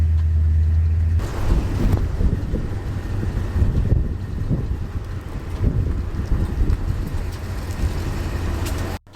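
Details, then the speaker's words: Lexus IS F driving over rough pavement after fixing year-long brake pad rattle with new hardware kit and lubricated pads: low road rumble, only faint light knocks, no loud rattle over bumps; quiet brakes. "yeah there's still some noise but not as loud as uh before yeah cuz before was like actually crazy like over every bump was a a noise but yeah now it's uh relatively quiet"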